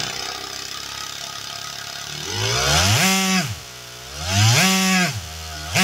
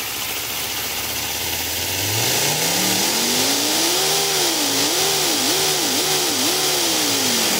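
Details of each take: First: Small 3D-printed single-cylinder air engine with bearings, third refined iteration, revving to 11,000 RPM: fast buzzy note climbing sharply in bursts and falling back, smooth and even; reliable, healthy high-rpm running. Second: 3D-printed compressed-air V10 engine with F1-style crank angles and two connected intake manifolds: revs climb quickly then hang and hunt with heavy hissing; many air leaks and poor build quality limit it to just over 5,000 RPM.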